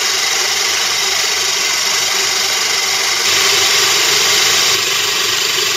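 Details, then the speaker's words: Moulins d'Alma individual stone mill grinding grain for wholemeal flour after sieving out straw particles: steady even gritty hiss with faint low rumble, no knocks, stalls or surges; normal milling. "on a voulu notre grain on va pouvoir aller faire notre pain tout à fait normalement notre pain intégral bien sûr"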